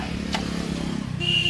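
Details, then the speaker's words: 2012 Maruti Alto 800 engine running: a thin high squeal holds steady over the motor from the loose, cracked AC belt slipping on its pulley; AC belt needs replacing. "എസിന്റെ belt loose ആയിട്ടുണ്ട് അത് പൊട്ടി നിൽക്കുന്നുണ്ട് അതുകൊണ്ട് എന്തായാലും എസിന്റെ belt എന്തായാലും മാറ്റണം"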